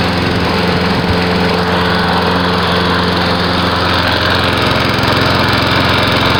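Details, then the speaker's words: Lawn mower running after its carburetor jet was cleaned and it was reassembled: a steady, even engine note at constant speed with no misses, surging or knocks; it now runs like a dream. "So that's what I fixed and found out was wrong with my mower. Fixed it back together and she runs like a dream."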